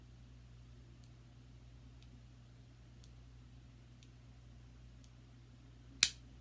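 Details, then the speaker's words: Omnipod DASH insulin pod on right arm, cannula insertion after tapping confirm: faint ticks about once a second, then one sharp loud click as the cannula fires in; normal insertion. "we're ready to insert so I hit confirm here we go allowed click as when it goes in"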